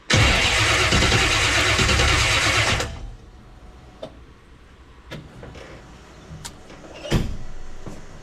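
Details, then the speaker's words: 1967 Chevy Nova small-block with FiTech EFI, started after injector cleaning with fuel in the oil: engine roars for about three seconds, then dies with a few clicks; the ECU logs an intermittent injector 2 fault code. "injector number two has a fault code clear it so it just said injector 2 has a fault"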